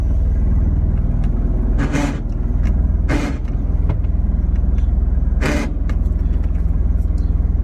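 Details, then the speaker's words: Mazda RX-7: the engine idles steadily while three harsh grinding bursts sound. The transmission won't go into any gear while running, though it shifts into all gears fine otherwise; owner suspects the clutch. "that's not good well sounds going on with the clutch I don't know what"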